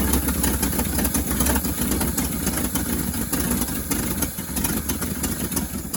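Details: 1963 International Harvester Loadstar 1800 truck, first start in 20+ years, carburettor fed by a hooked-up pump: steady, fairly even idle with no knock or miss; oil pressure gauge not reading; normal idle.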